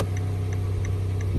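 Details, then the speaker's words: 2017 Kia Sedona after tail light repair (hazard/turn signal had been flooded with water): crisp, even ticks about three a second over idle hum; turn signal flashing at normal rate. "There we go. Yeah, regular ticking sounds good."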